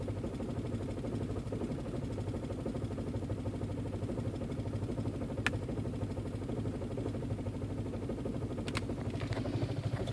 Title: 1.8t aww rough idle